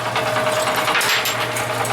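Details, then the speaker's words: Yard-sale Craftsman walk-behind mower, with a generator also running nearby: small engine buzzes with a wavering, uneven tone and the beat stumbles now and then; running rough. "I leveled the trailer but that was the problem it still sounds like hell"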